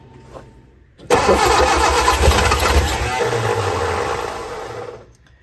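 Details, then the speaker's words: Austin-Healey Sprite barn find after head gasket change, valves not readjusted, float bowls filled on both carbs, pistons free, on jump pack: starter churns, engine catches and runs rough about four seconds, then fades and stalls; wants to run, choke held. "Wants to run. Try to work the throttle and the choke at the same time."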